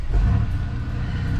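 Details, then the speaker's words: Cold start of a Chevrolet Monte Carlo after repairing squirrel-caused misfire codes P0201 and P0301 (codes not yet cleared); fires right up and settles into a steady, even, smooth idle with no stumble. Normal start and idle. "Yep. She fired right up. And it's cold start like I haven't been driving or nothing since that uh misfire started, so As you can hear, yeah."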